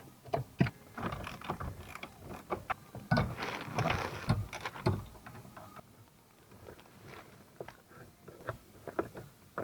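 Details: 2005 Toyota Corolla 120 electric power steering column: irregular hollow clunks and rattles as shaft is rocked, from worm shaft bearing play (bearing previously replaced); column removed for repair.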